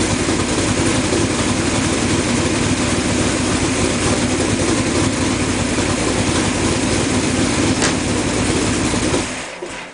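Engine catches and settles into a steady, even idle with no misfire stumble, then winds down smoothly; running cleanly.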